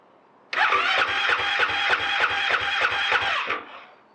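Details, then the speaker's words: Husqvarna FE 501 in cold Victoria weather on its stock underrated battery, repeated attempts with 30-second waits: sluggish cranking about three strokes a second for three seconds, no firing, starting to spin faster; weak battery slow cranking. "but i can hear she's starting to spin up a bit faster so maybe on the sixth attempt"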